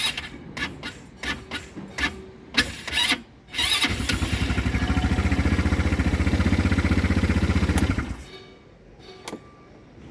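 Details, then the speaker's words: Volta RC5 ATV that starts hard in the mornings and needs a brake pressed to crank: a few short starter stabs, then about four seconds of cranking that cuts out without firing. Sagging battery voltage keeps killing the starter. "Evet yani uzun süre Marsa basmıyoruz Çünkü açı kaldırmadığı için kesiyor kendini güç bitiyor"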